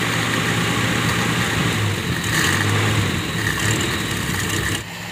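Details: Toyota Kijang that would not start because of a burnt-out ignition coil, now running after the ignition fault was traced and fixed. Steady, even petrol idle with a low hum and no misses or knocks; normal idle.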